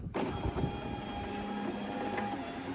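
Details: R33 Nissan Skyline, after replacing burnt-out window motor with aftermarket unit, ignition on: steady, even whir about two and a half seconds, no grinding or straining; new window motor runs smoothly.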